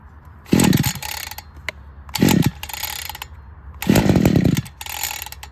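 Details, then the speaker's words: Cold two-stroke engine on full choke, pull-started: three pulls each catch with a short sputtering burst that dies away, starting to turn over on the third pull. Normal choked firing before the choke is moved to half. "go okay so third pole started to turn over that's always a good sign"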